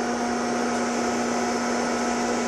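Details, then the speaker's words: Repaired Fatboy 1x2 amplifier (DEI transistors swapped for Toshiba) with a newly built variable voltage-regulated cooling fan set to full blast: a steady, even whir with no rattle or wobble. Normal fan running at full speed. "all right variable voltage for the fan right here it's on full blast"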